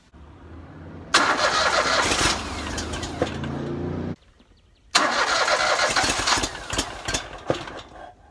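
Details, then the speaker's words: Riding lawn mower being hotwired without a key: two bursts of steady cranking that never catch. It cranks but won't fire, and lack of fuel is suspected, needing carb cleaner, not confirmed. "sounds like it's not getting fuel just need a little uh carb cleaner"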